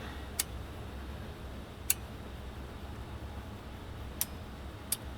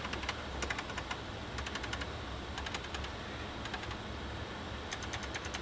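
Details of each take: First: Kenwood KR-6050 receiver after its pots and switches were sprayed and cleaned, powered on: crisp single relay clicks over a low hum. The protection relay pulls in quickly and cleanly, a good sign. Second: Kenwood KR-6050 receiver (about 60 W per channel) run at full power without dim bulb, one channel dead: sharp irregular clicks over a quiet hum as the protection relay kicks in and out, bulbs flickering; owner suspects something shorting inside.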